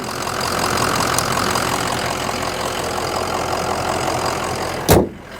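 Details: 2004 Ford Excursion 6.0L Powerstroke diesel V8, 202k miles, warm, heard from outside: steady, even, clatter-free idle rumble with no misses or knocks; a healthy idle, ending with a door thump.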